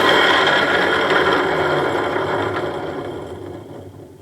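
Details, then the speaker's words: Removed water pump from a 2009 Dodge Nitro with 40,000 miles, spun by hand: dry rough grinding rasp about three per second fading as it coasts; worn bearing with side-to-side shaft play and scoring on the pulley. "Now what I'm going to do is spin this so you can hear it, and you can imagine what it made the vehicle sound like when it was running."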